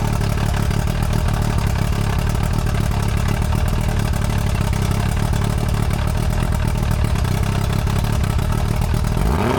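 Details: Restored junkyard outboard running: loud, steady, even drone with strong low rumble, no knocks or stumbles; runs perfectly, though the water stream was weak and spitting rather than a strong stream.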